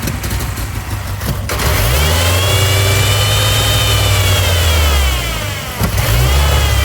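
Engine revs up and holds with a rough, airy hiss riding over the exhaust note, consistent with a big intake vacuum leak.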